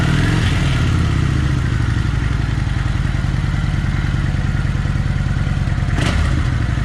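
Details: Kawasaki Vulcan 900 running after restrictor plates removed: loping V-twin beat with light metallic chatter; owner-welded part rubbing against the engine.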